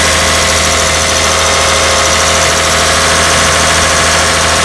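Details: 2002-2006 Toyota Camry 3.0L V6, cold start with engine coolant temperature (ECT) sensor reconnected after no-start with connector off: loud, steady, even high idle, no misses or knocks; normal cold idle.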